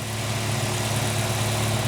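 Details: 2007 VW Gol G4 1.0 8V Flex (EA111), about 61,576 km, idling: faint, even, rapid knock for about two months after switching to 5W-40 synthetic; persisted after lifters, rockers, pumps and injectors were replaced; cylinder and wrist pin clearance: piston slap.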